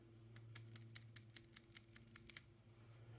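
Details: New PCV valve for a 2015 Subaru Outback, replacing the old one after over 250,000 miles, shaken by hand: crisp light ticks, about a dozen in quick uneven succession; the plunger moves freely, healthy.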